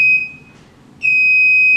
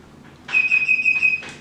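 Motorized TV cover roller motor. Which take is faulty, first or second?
first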